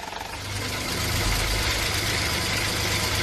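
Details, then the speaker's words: Ford EcoSport 1.5 manual gearbox at cold idle: fast, steady metallic chatter that stops when the clutch is pressed, returns on release, and occurs only when cold; cause not confirmed. Rattle at cold idle. "complicado porque se quita cuando pisamos el embrague, se vuelve cuando soltamos el embrague, lo hace solamente en frío."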